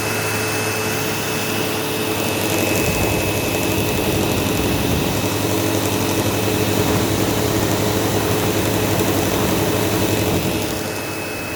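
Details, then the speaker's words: Sebo Automatic X5 upright vacuum running on living-room carpet: steady high-pitched squeal over the motor roar, like a slipping belt. "Anyways, automatic X5, running. Yeah, you can kind of hear like a squealing noise."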